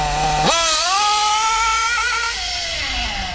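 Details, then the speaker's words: Kyosho MP9 nitro buggy, standard engine after tuning: standing start, throttle punched to full, sharp pitch jump then clean smooth high scream easing off gradually; running like a dream. "Happy days. Happy days. There she is, running like a dream."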